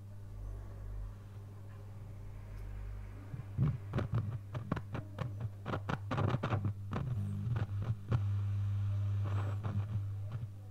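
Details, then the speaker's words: Loewe-Opta Magnet 3737W tube radio after oscillator repair, at about 220 V near full power: steady low hum with irregular sharp crackles and scratches; owner suspects tuning capacitor shorting internally, unconfirmed; FM still dead. "this almost seems like a tuning capacitor shorting inside but I worry about that next"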